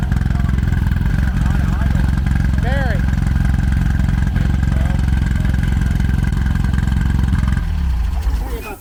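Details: 1972 VW Super Beetle air-cooled flat-four with a replacement engine of unknown size (1600 or 1641) and possibly a big SK8 cam idles lumpy and uneven with a loping beat and stumbles; diagnosed as bad points and plugs.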